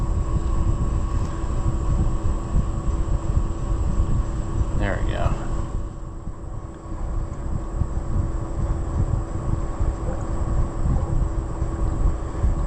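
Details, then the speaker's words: Oliver 1250 tractor diesel at steady low idle with a faint wet gurgle as the water pump primes during a cooling-system check. Water is reaching the pump with the hose disconnected; the engine runs normally. "hear it gargling. It's got to come out of that pump hole though before I'm satisfied. Yes! That is success, my friends. That means water is in the pump."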